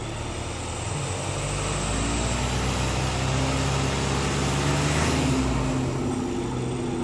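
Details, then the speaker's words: 2015 VW Passat TDI turbo diesel on the stock intake, before the Rawtek cold air intake install, with high intake temps noted: smooth rev with a steady low drone and rising pitch, turbo usually spooling from about 2,000 rpm; normal diesel rev. "So here we go. Usually it doesn't start spooling until about 2,000."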